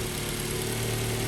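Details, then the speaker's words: Ford Focus that cranked but would not start, fixed by replacing a blown fuse (cause of the blown fuse unknown); it now starts on a quick crank and settles into a steady, even, smooth idle with no stumbles or knocks. "Quick look at the engine and crank it over. There we go, good now. Always try the easiest things first."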